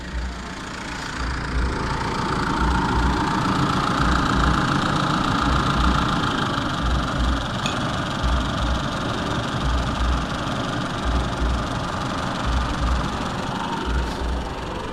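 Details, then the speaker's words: Old Isuzu D-Max diesel, hot engine hard to start, coolant temperature sensor unplugged as a workaround: idles about 100 rpm high with slightly lumpy uneven beat; reconnecting sensor returns smooth 900 rpm idle. "ผมสตาร์ทครับนี่นะครับติดแล้วเสียงเครื่องมันจะรั่วนิดนึงนะครับ"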